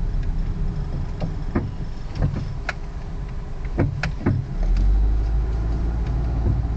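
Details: 2001 Ford Focus driving: irregular sharp pops and clunks from front right and left over road rumble; owner suspects worn bushings and ball joints or control arms; squeak is the A/C blower motor.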